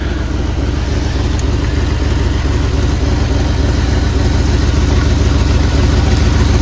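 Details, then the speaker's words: 1979 Jeep Cherokee AMC 360 V8, idling after sitting 3 years, before first drive; carburetor barely working, little brake fluid. Deep, steady idle with even low beat, no misses or knocks; owner thinks it's hitting on all 8, normal. "Listen to that 360 purr, guys. If it's not hitting on all 8, I don't know why it wouldn't be. It sounds like it is."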